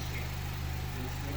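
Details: 2012 Honda CR-V, 140,000 miles, running after timing chain, intake cam phaser, guide rails and tensioner replacement for code P0341 and hard rattle on startup: steady smooth low hum, even beat, no rattle or ticking; normal idle.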